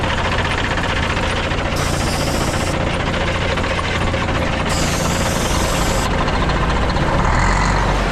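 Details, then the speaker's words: Abandoned Kenworth C500 off-highway mine truck diesel after priming and ether start; steady idle chatter with even low pulses and two bursts of hiss, fired right up and running, no air pressure yet. "oh yeah dude c500 kenor fired right up that's so awesome"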